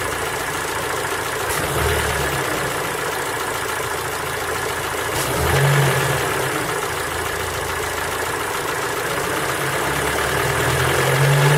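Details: Ford Focus 3 PNDA engine at cold idle: light, fairly regular tapping about three or four per second that swells with revs. A cold-start knock, cause not yet clear.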